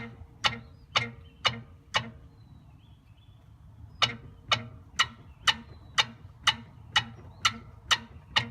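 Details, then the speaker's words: Two-week-old 034 Motorsports rear sway bar end link, bottom spherical bearing squeaking after rain; car bounced by hand on ground: sharp chirp each bounce, about two a second, worse when driving; squirt of PB Blaster silences it: dry end link bearing squeak. "you can hear a little bit of the squeaking it's much worse when you're driving because I simply can't put enough force on the car to get it to squeak as loudly as it does while you're driving"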